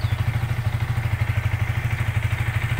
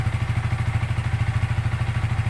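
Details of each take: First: Yamaha Vixion fuel-injected motorcycle at 5,500 rpm while the CO setting is raised to 27–28 with an iQutech diagnostic tool: slightly uneven single-cylinder thump at about three beats per second; the engine sound changes with the mixture adjustment. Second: Yamaha Vixion fuel-injected single-cylinder motorcycle on a diagnostic tool, around CO-adjustment at set RPM: even, steady thump with no misses or ticking; normal idle.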